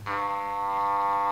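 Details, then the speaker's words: Panasonic RX-C100 boombox speaker during re-foaming, 100 Hz test tone: centered cone hums cleanly, then pushed off-center turns harsh, buzzy and raspy; voice coil rubbing in the magnet gap. "so you can hear right now it's centered but if I move it over"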